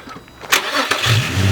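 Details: Crashed Nissan 350z starting after an earlier start where the ripped-out oil pressure sensor sprayed oil: short cranking, engine catches about a second in and settles into a firm, even low rumble.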